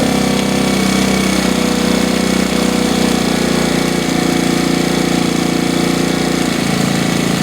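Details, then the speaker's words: 1969 Honda CT70 small single, long-sitting, running after first start: steady, even idle with no stumbling; lights switching shows the alternator works; old oil smells funny and oil is in the exhaust, likely from being hauled on its side. "That's better. Smells funny. But it's that water oil."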